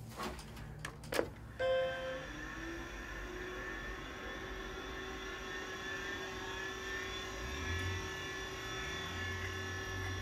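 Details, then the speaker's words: 1987 Apple Macintosh II starting up: switch clicks, then a whir rising and settling into a loud steady whine from the hard drive's worn bearings; the drive still works but may be on its last legs. "for you can hear the bearings quite clearly there this drive might be on its last legs but it seems to work fine so"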